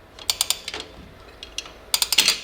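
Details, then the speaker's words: 2005 Toyota Tacoma 4WD rear drum brake, star-wheel adjuster turned to expand new shoes: crisp ratchet clicks in runs of three or four, turning only one way; adjuster working normally. "I can keep turning this wheel. You hear it, it goes only one way, that's the expansion. I will be not able to turn it the other way."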